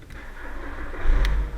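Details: VW Jetta (A4) whose ignition lock cylinder is broken, started by turning the ignition switch directly: a short crank that catches quickly and picks up into a running engine, a normal crank and start.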